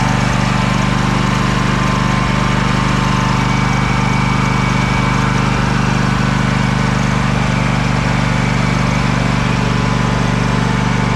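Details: Craftsman DYS4500 riding mower, 26 hp Craftsman Courage engine, revived after sitting over a year; steady low drone with constant beat, no surging or stumbling; smoking a little but runs well; normal running, needs new fuel cap and fuel line.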